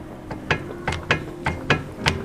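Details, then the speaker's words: Sharp hollow clunks, about three a second, from a car's underside over speed bumps and rough roads; typically caused by damaged control arm or ball joint bushings, cause suspected, not confirmed. "这个车的话是在过减速带或者是一些颠簸路面的时候，它就咯噔咯噔的异响。"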